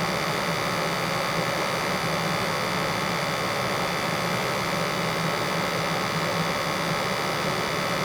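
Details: After replacing a 1960-vintage furnace with a new 80+ gas furnace: a steady, even whoosh of burners and blower with a constant low hum and no rattles or surging. Combustion test shows CO at 36–37 ppm, under 50. Normal running.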